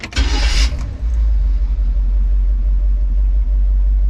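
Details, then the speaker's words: Carbureted classic van with an Edelbrock carb, hot start right after tightening the loose battery cables: a short crank, then it catches at once into a steady low idle with no stumble; slow starting was the cables, not timing. "here I was thinking it was timing cuz I've been messing with timing but nope battery cables"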